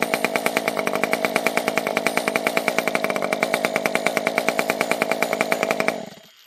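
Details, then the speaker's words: Stihl MS 194T top-handle chainsaw with modded open-port muffler: crisp, even two-stroke buzz at steady high revs with sharp firing pulses, then shut off. Normal running. "That sounded pretty good. That'll definitely put a smile on your face, you know what I mean?"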